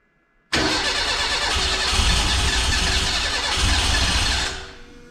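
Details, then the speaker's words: Renault 5 GT Turbo engine first start attempts on distributor ignition; timing jumps to about 40° when cranking, far too much; starter whirs, engine catches roughly for four seconds without idling then dies; fires but won't run, timing suspected. "much so close but I don't know why it's not right"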